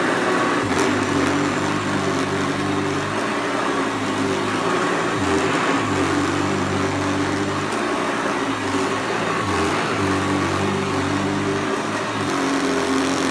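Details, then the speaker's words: Newly unboxed Hoover Commercial C1310 vacuum running on floor: steady motor hum with a low drone that keeps sagging and picking back up; brushroll drive belt worn and needs replacing. "right it needs a new belt definitely definitely definitely I'm gonna stop this a second and put a new belt on"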